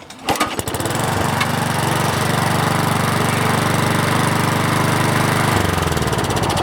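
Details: Hot-rodded mower left in snow all winter, carb rebuilt, fuel tank vacuumed of rust and water, fresh non-ethanol gas and 30-weight oil: catches on second pull, steady even single-cylinder putter, no misses; running normally.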